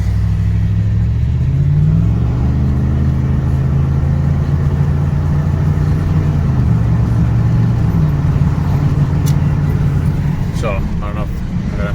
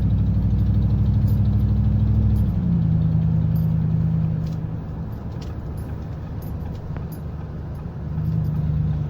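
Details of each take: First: 2009 Ford F-150 V8 with about 120,000 miles at idle after the left-side exhaust manifold was replaced: deep, even rumble, and the diesel-like ticking from the exhaust side is gone. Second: 2009 Ford F150 V8 idling and revving with a quick, steady ticking rising with engine speed, making it sound diesel; Ford diagnosed a leaking left-side exhaust manifold, later replaced.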